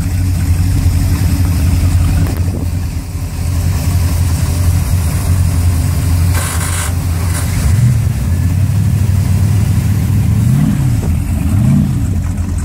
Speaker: This is the 419 formula, getting ready to get started and ran. We'll start each motor one at a time so you can hear it. Nothing like having three 502's.